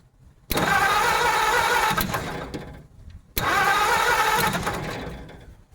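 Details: 1950 Ford F1 truck: two spells of brisk, steady starter cranking, but the engine never fires or catches. The distributor points appear to be sparking. Crank, no start.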